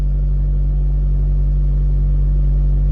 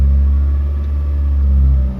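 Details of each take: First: 2006 Honda Fit L13 automatic with coolant temp sensor and inhibitor solenoid faults, live data showing high MAP reading: steady even low hum, no misses or knocks, but idle stays too high in drive; cause suspected, not confirmed. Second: 2006 Honda Fit, L13 automatic, with a coolant temp sensor fault and intake air temp code, the coolant reading cold on live data: a deep, smooth idle held high, with a brief dip. Idle is abnormally high in drive and normal in park.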